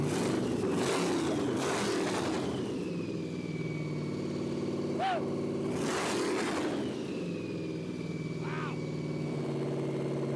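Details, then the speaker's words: Project X '57 Chevy hot rod, carbureted supercharged LSX/6-71 blown small block, first fire-up after the build: loud blown V8 snaps up through a few quick revs, then drops to a lumpy, steady idle; runs strong and healthy. "That thing sounds nasty. Nice. Oh man, that thing is loud."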